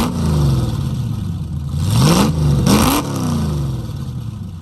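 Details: 1969 Mustang V8 that sat 15 years, running rough: uneven rumble through blips, revs climbing unsteadily with loose clatter; distributor vacuum advance just reconnected, rusted holed mufflers, running rich, not yet hot; owner thinks new plugs and wires will fix the miss.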